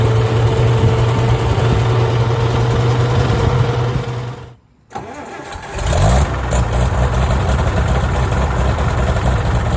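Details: Farmall tractor (1949 H or 1968 656, unclear which) after carburetor adjustment, having not run over 30 seconds before; coolant was found 2.5 gallons low: steady low thrum, a brief cut and quick restart, then smooth even running. Runs really well.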